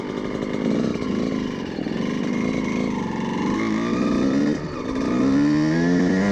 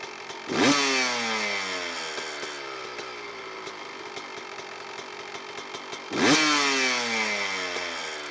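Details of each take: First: Two-stroke (CR125) after carburetor needle position change from too rich: pulls cleanly through midrange with crisp rising buzz, no spitting or stumbling; much smoother than before. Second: Two-stroke dirt bike (CR125) on a Lectron carburetor, air screw turned out about three and a half turns: throttle blips, then revs hang and fall slowly back to idle, throttle response "zingy"; lean air-screw setting.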